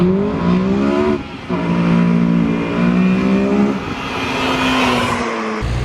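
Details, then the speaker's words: Mugen Civic Si fitted with Hasport billet engine mounts, filmed by GoPro on a hard launch: the engine pulls through the gears with a clean, rising drone and no shudder or chatter, and no wheel hop is seen. "looking at that video from the front I couldn't see any wheel hop"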